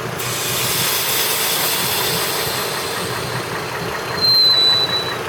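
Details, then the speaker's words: 2003 Chevrolet TrailBlazer 4.2L straight-six at idle: upper-engine knock stops when the PCV tube is blocked, then returns with a loud vacuum hiss when unblocked; no knock at higher rpm; vacuum 19 inHg idle, 16 at 2000 rpm. "now I'll remove my finger and you'll hear a piss of a vacuum going in and the knock will uh come back"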